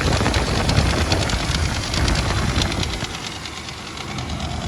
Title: Land Cruiser 80 fzj80 1fz-fe rattling sound